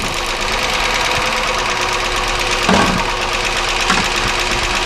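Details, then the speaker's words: 1999 Chevy Malibu 3100 V6 at idle: fast, sharp tapping unchanged while plug wires are pulled one at a time, only slowing with the misfire; points to internal engine noise, probably top end. "obviously you can hear there's no change in the sound again you notice the sound gets a little slower because of the misfire that we're causing but the actual sound doesn't change which means that this is more indicativ"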